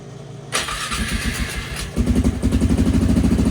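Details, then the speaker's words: Flood-damaged 2001 Polaris Sportsman 500 HO, low hours, starting after bleed procedure: brief crank, then loud even single-cylinder idle about three beats a second; muffler a little loud; healthy. "there we go. Muffler's a little loud on this thing."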